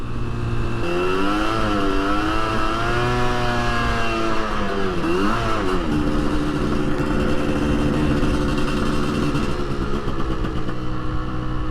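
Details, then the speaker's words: 1981 Suzuki GT250 X7 barn find, after a full rebuild, on its first shakedown ride: revs flare and wander in a rising, wavering buzz without the engine pulling through, a slipping clutch that worsens on the road and needs clutch adjustment. "Yeah, clutch is slipping very slightly. That's an easy fix."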